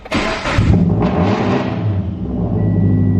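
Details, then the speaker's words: Turbocharged Subaru BRZ on a loud cold start: it roars and surges high as if the throttle were held, then settles slowly. Owner suspects it needs a retune; not confirmed. Smoke is seen from the hood vents afterward. "But when I initially start up the car, like the cold start is loud, but it sounds like I have my foot on the throttle as I start it, and like it revs and then it starts."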